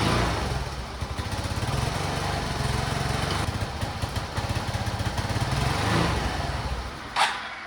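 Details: Suzuki Access scooter, small single-cylinder: loose, uneven idle that wavers and sags toward stalling; runs only on choke and dies when choke is lowered, cause found inside the carburetor jet system.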